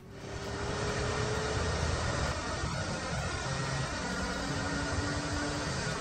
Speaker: that's right dimitri this is the sound of a worn out turbocharger you can hear it clearly when you accelerate